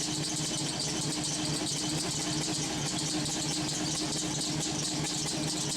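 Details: LS-swapped V8 with homemade headers on an early startup, warming up: steady, even idle under a hissy background with no misfire, steaming a lot.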